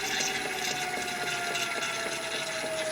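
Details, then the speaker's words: Gen1 Nissan Leaf motor on a Leaf inverter, coupled to a transmission with no gearbox oil, under very low load. Motor and inverter around 11 °C. Steady whine slowly drops in pitch with faint gear hum. Normal slow spin-down. "and you can hear that's slowing down it's slowing down quite slowly because it's a very very low load on it but it is slowing down"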